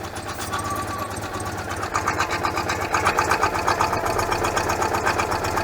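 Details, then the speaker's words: 1986 Citroen 2CV twin-cylinder at idle, engine having trouble with choking plugs and pinking: even thumping about four beats a second with a faint hiss; spraying the carburettor manifold gasket changes engine speed, confirming an intake air leak there. "yeah i've definitely got an air leak on the carburetor yeah carburetor it's a manifold gasket that's where i'm squirting that you can hear the engine changing"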